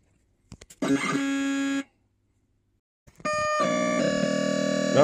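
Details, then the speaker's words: Williams Space Shuttle pinball, System 9 CPU board under repair, sound test with known-good CPU and ROMs fitted: short bursts of harsh electronic tones, silence, then garbled noise as the sound cuts out; board still crashing, fault elsewhere. "as you can hear it's crashing away so I've put know good CPU from my board in um and we've got know good ROMs that we're using"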